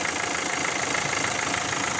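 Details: 1.5 dCi diesel: steady, even idle with a smooth hiss and no sharp knock or tick, after a leaking injector that had been puffing air was tightened; engine runs cleanly.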